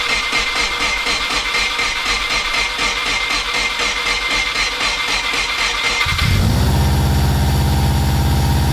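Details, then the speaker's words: VW T3 Combi with swapped Subaru engine, repaired weak starter: about six seconds of cranking, then first start into an uneven, lumpy idle with black smoke; mixture around 12.5, far too rich, risking fouling plugs. "Bon, t'as vu, maintenant il tourne pas bien, il fume noir en mode TDI, on a l'impression il a plus de 10 de richesse."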